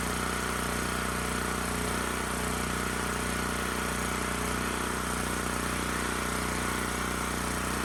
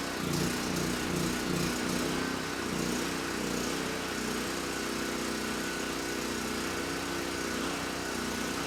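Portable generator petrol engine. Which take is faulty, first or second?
first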